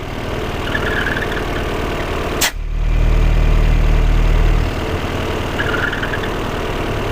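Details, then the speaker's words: Peugeot 408 at idle: a faint hiss comes and goes, vanishing with the oil filler cap off and returning when refitted. Faulty PCV valve in the valve cover; replacing the cover fixed it, as the valve isn't sold separately. "eu tirar a tampa de óleo do motor que está em funcionamento a hora que eu conecto ele começa a fazer barulho novamente"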